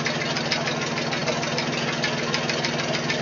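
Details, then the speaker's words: 1966 Ford 3000 tractor after a carburetor rebuild, fixing a fuel leak and half-choke running. Steady, even idle with a soft patter around 80 per minute, no misses or leaks; normal. "but yeah I hit the key it fires right up idle's good did just a little more adjustment on the low speeed screw"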